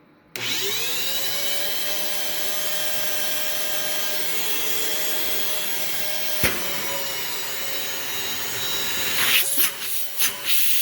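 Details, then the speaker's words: Vacuum with separate floor/tools and carpet switches, no play in housing: loud, steady, shrill whine with heavy hiss from switch-on; motor sounds unhealthy, cause unclear. "headphone warning this unfortunately does not sound the healthiest so we've got a warning okay turn down your volume"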